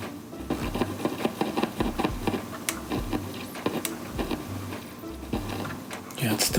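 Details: Vintage Audiotronics 300T portable classroom turntable playing a record after cleaning the volume control: irregular crackles and scratchy pops, much less than before but still present; dirty, scratchy volume potentiometer still crackling.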